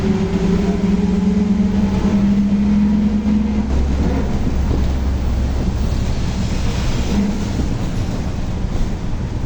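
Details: Torino S bus, Volkswagen 17-230 OD Euro V chassis, while driving: a steady low howl over the driving noise for the first seconds, then fading, from a worn rear differential that is roaring loudly.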